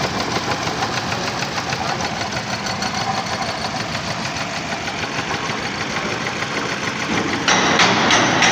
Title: engine misfire spark plug